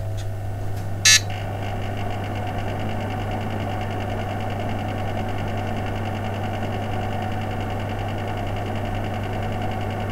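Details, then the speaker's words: Brand-new Korad KA3005P power supply stock cooling fan: loud rough buzzing drone with broken-sounding bearing noise; faulty fan bearings. "I've never heard a brand new fan that made such broken bearing noises absolutely terrible listen for yourself"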